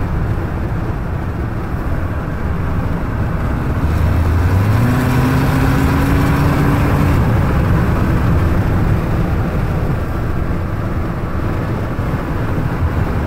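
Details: EcoBoost engine at full throttle, fluttering leak-like chuff over the drone; dealer unable to find cause, could be exhaust leak or intake.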